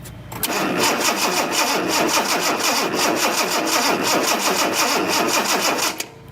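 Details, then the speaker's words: 1976 Datsun 280Z fuel-injected inline-six, new distributor cap, sparks on some cylinders but not others: steady starter cranking with even compression pulses about three a second, never catches; cranks but no start. "And so I can tell you what happened is there was sparks on some cylinders, sparks on not"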